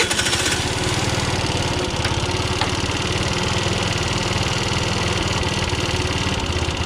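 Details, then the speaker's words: 50cc two-stroke scooter being revived: putters unevenly with ragged fluttering beat and uneven firing; bad fuel still coming through the line into the carburettor, float bowl may be drained. "Yeah, there's still some bad fuel coming through that line"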